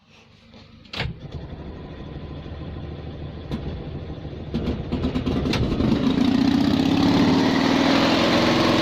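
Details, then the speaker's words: 1972 Invacar Model 70, Steyr-Puch 493cc air-cooled flat twin with CVT, recommissioned after 14 years in a field: catches after a short crank and settles into an even, steady putter; engine runs very nicely. "well sounds good enough to me loading the exhaust to pieces again but I think we can say that engine runs very nicely"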